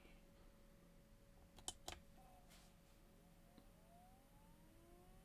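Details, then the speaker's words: WD Red NAS hard drive spin-up from cold boot in a quiet room: a couple of soft clicks then a faint whine rising smoothly as platters reach speed; very low noise, healthy. "go so very very low indeed we've used these exact settings on a number of larger than 8 tb and pro series drives and it has always broken into the double digits let's try listen again very very low noise indeed"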